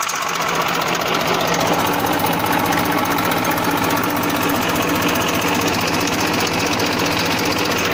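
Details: 1994 Massey Ferguson 1035 DI tractor diesel running at constant speed: loud steady clatter with fast uneven chatter, no distinct knock; normal engine hum.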